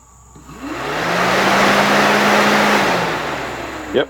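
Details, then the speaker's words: Nissan Maxima radiator cooling fan, removed during radiator replacement, bench-powered via jumpers in high-speed mode: steady airy whoosh builds over a second, holds a constant hum, then winds down; normal high-speed operation. "and now i'm going to apply power to both of them and check the high speed function of this fan"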